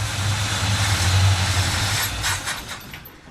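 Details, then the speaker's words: 1957 Chevy Bel Air V8 on first start in 30 years catches and runs roughly a couple of seconds then dies; owner suspected bad fuel pump, but fuel starvation traced to loose fuel line, taken apart and tightened. "may have a bad fuel pump but it runs all right so you're messing around a little bit we had a loose fuel line so we took it apart"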